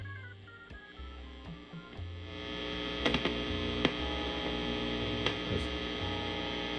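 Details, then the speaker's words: Soldano prototype tube guitar amp, the basis for the Soldano 44, in an Astroverb chassis with controls at noon and reverb up: steady mains hum with random sharp pops and crackles. Sounds like an open jack; dirty pots were found. Popping and hum. "Just heard some popping. Almost sounds like an open jack."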